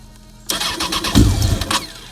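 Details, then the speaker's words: Honda FireBlade motorcycle restart during revival, after fuel pump gasket leak fixed, coolant unchecked: quiet, then the engine fires at once and settles into a steady, even idle without misses or knocks; starts cleanly. "let's just see if it turns back on again without trouble that's it there it is"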